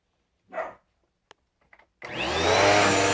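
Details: Dirt Devil Powermax upright vacuum after clearing a clog: motor spins up to a steady even high whoosh without rattles or labouring; running normally.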